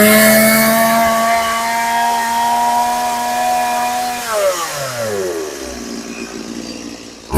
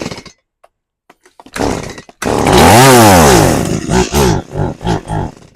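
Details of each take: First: Stihl MS180C chainsaw after carburetor rebuild, previously hard to start, bogging and dying on its side: crisp high rev, clean drop to a steady idle, then snaps back up; revs and idles well, no adjustment needed. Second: Stihl MS180C chainsaw, hard to keep running and dying when cutting on its side, with compression and spark present: it fires, revs briefly, then sputters in uneven bursts and dies even with feathered throttle; a faulty carburetor, fixed by a rebuild.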